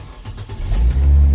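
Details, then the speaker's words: Nissan Almera with cranking no-start, roadside, after repairing the IPDM: brief crank, then engine catches and revs to a steady, deep even run; fault was the fuel pump supply to the IPDM. "Ayan na mga ka-tim oh. Mapansin niyo umandar na."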